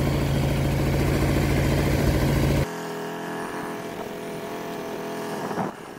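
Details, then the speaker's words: Baotian BT125T-2 125cc scooter, long stood, first start after cleaned 24mm carburetor, new ignition, GY6 50cc CDI, 12V battery: rough, uneven idle fluttering about four beats per second, then cuts out abruptly. Owner suspects starter clutch; cause unclear. "running strange sound oop oops oops what happened there didn't that didn't sound good oh something is wrong"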